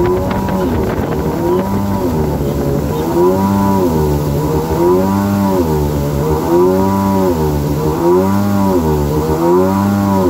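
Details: 2000 Yamaha XL800 two-stroke watercraft, freshly rebuilt engine and Mikuni-rebuilt carbs, on water near 27 mph: high drone rises and falls every two seconds once it hits 5000 rpm, a repeated surge; idle is fine, cause unknown.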